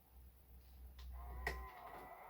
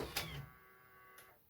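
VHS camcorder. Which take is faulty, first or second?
first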